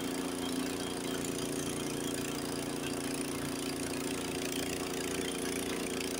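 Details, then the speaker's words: Honda HS80 snowblower with fast throttle set to spec 3600 rpm, first gear, taking a full bite of snow: fast, steady engine drone holding speed without sagging, unlike the 3000 rpm machine that bogged; normal full-speed running under load. "so that's a 3,000 let's try this one 3600 where it should be we're going to try try first gear it will take a full"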